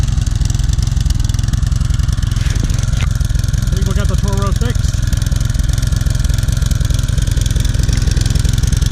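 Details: 2014 Toro Personal Pace Recycler 20333 with a 7.25 gross torque 190cc Briggs & Stratton engine, after cleaning a clogged bowl-nut carburetor jet; ran a bit rough at first, then smoothed out. Steady even putter at fast idle; normal running.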